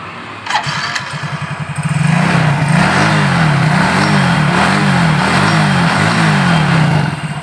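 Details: Yamaha Soul GT scooter with owner-reported rough "klotok" knocking, after belt-drive check/correction: starts and settles into an even idle pulsing about four times a second, no loose knocking; normal idle.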